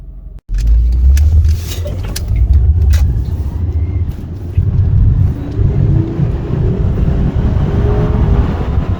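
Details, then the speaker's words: 2003 Acura TL after replacing a faulty ignition coil (fixing P0300–P0306 misfires and P1399): car pulls away and accelerates smoothly, engine note rising evenly with no stumble or miss. "Let's go for a ride. Oh, she sounds beautiful."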